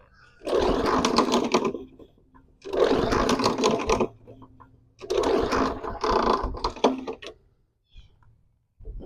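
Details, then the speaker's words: Non-running 20-inch lawn mower; three long rasping recoil pulls with gritty scraping throughout, so the starter grinds instead of spinning clean, and the owner suspects the straight pawl system. "The recoil sounds wonky. It might be the straight Paul system."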